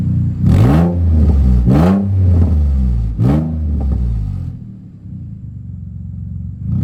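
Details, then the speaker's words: Infiniti G35 with a new exhaust, warmed up: three quick revs rise and fall with a raspy, blatty roar before settling to idle, with a little white smoke; owner suspects most sound comes from a leak up front, not the rear. "pretty sure most of the sound y going to hear is actually not even from back here it's probably from oh up there"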